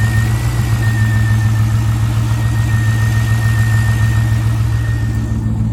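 V8 idling with a lumpy pulse, about three or four beats a second that don't land evenly; a rough idle.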